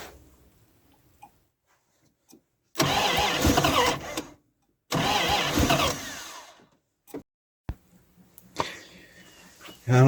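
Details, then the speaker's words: 1978 Dodge D100 carbureted truck, long unused, cold day, after fuel pump swap: two long cranking bursts with no catch, choke open and ignition disconnected; owner suspects stuck carburetor floats. "For some reason, it does not want to fire."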